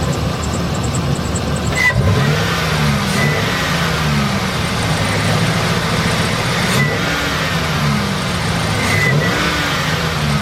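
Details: 2007 Chevy Express 3500 van V8 after the Motor Medic flush: smooth blips rise and fall cleanly between a steady idle, with no ticking or clatter. The sticky lifter noise is gone; normal revving.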